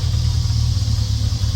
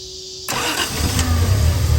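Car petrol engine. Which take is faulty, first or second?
second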